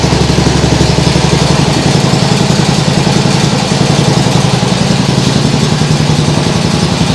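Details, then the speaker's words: Nibbi G619 walk-behind tractor engine after carburettor work to cure hunting; throttle in lowest position, even steady putter about four beats a second, no surging, like a sewing machine. "like a sewing machine that sounds great really great and the throttle handle is in in the lowest position"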